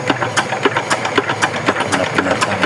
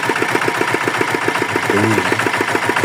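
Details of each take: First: Yanmar DX tractor with Chinese single-cylinder diesel, seized after low oil: turning over with a loose, sharp knock about four times a second, compression present; suspected worn connecting-rod bearing, won't start. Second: Yanmar DX tractor with Chinese single-cylinder diesel, said to have seized from low oil, after repair and oil refill: steady even thump around 210 beats a minute, no knock; normal idle.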